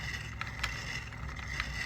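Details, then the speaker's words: 1965 VW swing-axle transaxle, torn down after years of neglect, moisture and low gear oil: a loud, rough, gritty whir with scattered clicks, mostly from a worn shaft bearing; rebuild planned. "I mean, you can you can hear most of that's coming from that nasty old bearing right there, but it's clearly loud. That's not the way it's supposed to sound."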